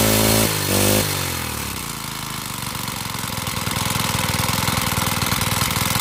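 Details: Honda GX35 four-stroke brush cutter, after carburettor cleaning and raising the needle for freer fuel flow: after a brief start-up burst it settles into a quick, even beat that holds steady without stumbling or dying.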